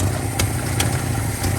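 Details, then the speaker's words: 1979 Chevy C-10 half-ton with inline six, sat 8 years in a tow lot, first runs: low uneven idle, beat dropping out and sharp irregular pops; missing at idle, improving slightly, spark plugs being checked. "Starting to run a little bit better, but man, it is missing out."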